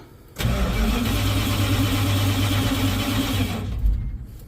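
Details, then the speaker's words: 1970 Dodge D100 with newly fitted Edelbrock 750 carburetor and resealed intake: starter cranks steadily at about three and a half turns a second but the engine never fires; owner suspects no power reaching something, checking at the coil. "right sounds like it's doing the same thing but uh check it directly at the [Music] coil"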